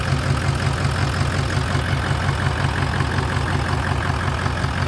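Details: Stainless dump truck diesel started after sitting about 4 years: heavy idle with steady regular chuff about three times a second over the low rumble; exhaust suspected broken.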